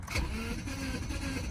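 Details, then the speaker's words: Wrecked auction Subaru flat-four, front-end crash likely broke the timing cover and knocked it out of time; steady free-spinning starter cranking without a single fire, cranking no start from a jumped timing belt. "Yep. Sounds like what's happened here. Yep, sounds like it's out of time."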